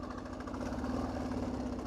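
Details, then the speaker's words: Diesel KLR motorcycle built for the Marine Corps, considered a 2006, small diesel, pulling uphill on low-end torque: steady deep chug with even knock under load; normal diesel sound. "just all the all the lowend torque you could ever want on a bike like this"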